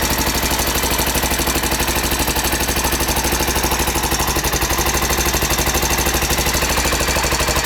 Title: Honda XR 600 R 1992 timing chain noise